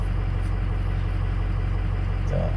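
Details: Ford 6.0 Powerstroke diesel after injector and fuel pump replacement for stalling, fuel pressure around 65 psi, after clearing code by disconnecting battery; steady deep even idle, no misses or knocks, no check engine light returning; healthy.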